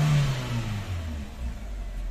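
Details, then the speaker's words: 2012 Hyundai Accent automatic, brought in for no-start/cranking only after a week sitting; scan showed two fault codes but no problem found. The engine note dips as the AC compressor kicks in, then holds a steady, even idle: normal idle with AC on. "Ayan nag-aircon na. Walang aircon yung kanina yung ' ba umakyat yan nag-aircon na. Kanina walang aircon."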